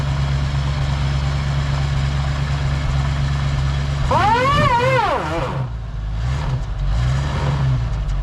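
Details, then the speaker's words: 1979 Ford Ranchero GT V8, sat 20 years, after test drive, idling then in gear power-braked; uneven lope with one or two inconsistent misfires at idle, smoother under load; owner suspects carburetor issue. "And you can hear those 2 misfires of idle are not consistent. Sometimes it's 2, sometimes it's only 1. More than likely just a carburetor issue."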